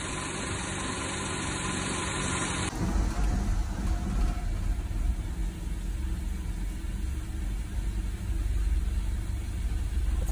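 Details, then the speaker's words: 1987 Mercedes 190E W201 KE-Jetronic, non-cat, with a slight miss, hard cold start and running rich: low, uneven, lumpy idle with the engine visibly shaking; rough idle before spark plug gap and other fixes. "the car was running a bit rich and what's important the car was shaking on idle and that had to be fixed too"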